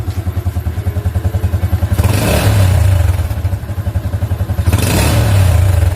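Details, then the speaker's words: Older Yamaha Jupiter MX after disabling the AIS system (vacuum membrane was leaking): engine revved twice and drops back cleanly, steady low beat off throttle with no exhaust pops or crackle; deceleration backfire fixed. "nah ini tidak ada lagi ledakan ya Di knalpot ketika gasnya kita turunkan ya"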